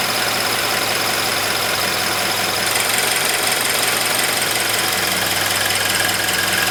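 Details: Subaru BRZ at idle: fast, light chirping tick over a bright hiss, attributed to the high-pressure fuel pump, unconfirmed.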